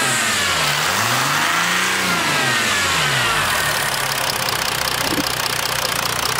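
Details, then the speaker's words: 2005-2010 Jeep Grand Cherokee WK CRD, OM642 diesel, recorded in the engine bay: it revs up and down with a hissy chuffing pulsing about four times a second, noisy at low gear, high rpm and high throttle; owner suspects an exhaust leak near the turbo, possibly a right manifold flex joint. "all right so as of late my Jeep has been kind of noisy when I'm at low gear high rpm high throttle position so I'm thinking I have a a leak on the tailpipe somewhere up near the turbo"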